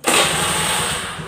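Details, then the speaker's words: Carbureted Honda Beat scooter whose electric starter only clicked, traced to a weak relay in the CDI, after repair: one press and it starts at once, settling into an even buzzing idle with no clicking; normal start. "Setelah itu kita coba starter ya oke jadi motor langsung hidup"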